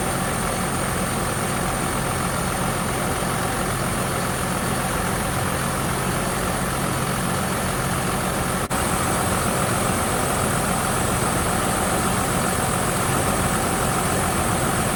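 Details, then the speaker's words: 2017 Hino truck diesel after main and chassis fuel filter replacement, idling 3 to 4 minutes to work air out: steady smooth low rumble, no misfire or stumble; normal idle. "We're gonna start the vehicle, and we're gonna let the vehicle run for 3 to 4 minutes."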